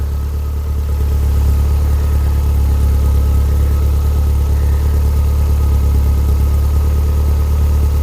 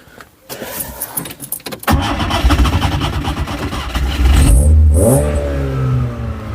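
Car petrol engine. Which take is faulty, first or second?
second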